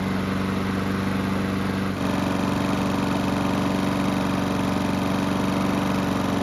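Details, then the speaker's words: Free Honda walk-behind mower, previously surging. After carb work, run several minutes until hot, the single-cylinder engine holds an even, steady beat with no surging. It smoked lightly. "So the engine's been running for several minutes and it should be good and hot."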